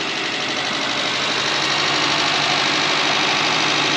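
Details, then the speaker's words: Mk1 Volkswagen electric race car sitting 25+ years, drive motor powered on low voltage, out of gear: even steady whir with light fast ripple, no grinding; motor runs freely. "That's a working motor. It's running. There you go."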